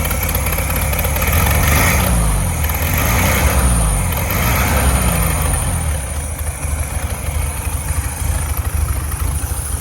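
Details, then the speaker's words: 1967 VW Beetle air-cooled flat-four that had a varnish-filled carburetor, running on its own: steady, even low idle with a regular beat and no hiss or stumble. No vacuum leaks and good power; normal idle. "we've got no vacuum leaks. So that's good. She's got good power."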